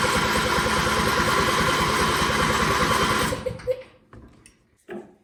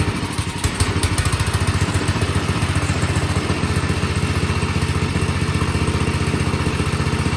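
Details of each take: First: John Deere riding mower with a new battery, cranking: even starter cranking about four turns a second for three seconds with no firing; no fuel comes out of the fuel pump line, so a failed fuel pump is suspected. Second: Ariens snowblower single-cylinder engine at idle after a carburetor cleaning; before, it surged below full throttle. Now a steady, even beat of about three pulses a second with no hunting; surging fixed.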